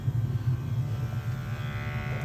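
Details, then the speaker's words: New Burnham gas-fired steam boiler replacing a carbonized one with flame roll-out and high CO, running about 15 minutes during combustion analysis, CO 28. Low steady buzzing hum like hair clippers, slight flutter, no rumble or puffing; normal burner operation. "as you can see she sounds like a barbershop hair clipper yesterday she was frozen she was frozen she was cold and tired"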